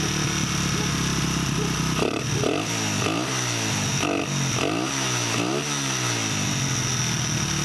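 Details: 1989 Honda XR100 dirt bike with a newly fitted carburetor and throttle cable, both old ones seized: the small single idles steadily, then takes several quick throttle blips that rise and fall cleanly without stalling; it runs healthily.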